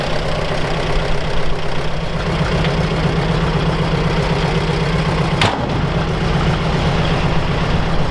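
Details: Old Soviet UAZ 469 four-cylinder, parked about a month, on choke and getting plenty of fuel, before ignition overhaul: low, lumpy, stumbling idle running on only two cylinders; owner suspects an ignition issue: misfire.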